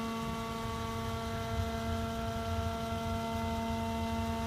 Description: 2014 Jeep Wrangler Rubicon Unlimited with 4000 miles making brake noise on incline.